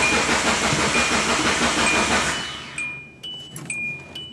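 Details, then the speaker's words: 4G engine on an AEM FIC6 piggyback loaded with a base calibration of all zeros (ignition and fuel maps): steady cranking about three beats per second, dies without catching; turns over and electrics come on but it won't start. "so I don't think we did anything wrong because it still turns over all the stuff comes on yeah"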